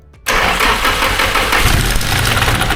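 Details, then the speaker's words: SR32 swap on a Link ECU, first start on the ECU's preloaded base map: engine catches after a short crank and runs an uneven, lumpy idle with ragged firing before being shut off; cause unclear. "No, that sounds bad. What is it? And turned it right off."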